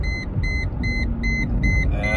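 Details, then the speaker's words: Mercedes ML320 being driven, brake warning light on with BAS, ABS, ETS and ESP lights, codes including C1025, C1301, C1303, C1200: sharp high beep a bit over twice a second over a low idle rumble that won't stop; cause suspected, not confirmed. "may even have some lights over here and the beeping just doesn't want to stop"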